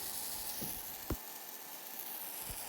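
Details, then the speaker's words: Blue Demon Bluearc STI 200 AC/DC inverter AC welding at square wave 120 and 250 Hz, same metal thickness and filler rod: quiet even sizzling hiss with no pops or breaks; stable arc, no hitch. "And I was really impressed. No hitch in the arc whatsoever."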